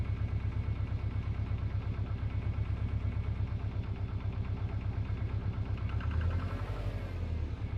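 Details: Subaru Impreza WRX GC8, EJ20G turbo engine at idle: steady rapid deep knock about three per second, present for three years of driving; others blame forged pistons, owner suspects a connecting rod. Cause unconfirmed.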